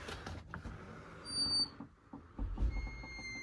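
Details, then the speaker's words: Door closer with loose cover, already rubbing from its spring and starting to squeak: as the arm cycles, irregular soft pops and faint squeaks; owner attributes the popping to the closer spring, cause unconfirmed. "But the thing is, um, this closer now is making a spring sound. Not just a rubbing sound. It's making like a popping spring sound."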